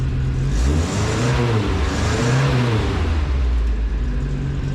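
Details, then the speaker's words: Old U-Haul with welded rear differential, just fitted with a new red glass pack exhaust; engine blips up and down twice with a deep, throaty note, revs rising crisply and settling to steady idle, not overly loud, revving quicker; normal revving. "Pretty happy with how that sounds. I was worried it was going to be too loud. It's not overly loud. It is definitely flowing better, revving quicker."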